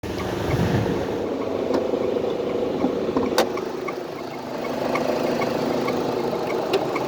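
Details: Turbo spark-ignition engine with no codes, spark blowout only under hard acceleration, plugs due for re-gapping: a rough mid-pitched drone with scattered sharp ticks rising and falling with revs. Owner suspects one noise is turbo, one AC; unidentified.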